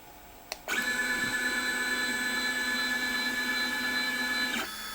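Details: Sable 2015 CNC machine with new TB6600 Mach3 parallel-port controller, axes moving to work home: steady smooth stepper whine for about four seconds, clean start and stop, no skipping or grinding; normal.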